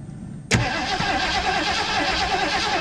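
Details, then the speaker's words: 1980 Ford Bronco, first start attempt in 18 months after Seafoam and filling the fuel bowls: the starter turns, then ragged chuffing and coughing never settles; owner suspects it is flooded. "something my God it's coughing it wants to probably flooded it out or something with that seafoam"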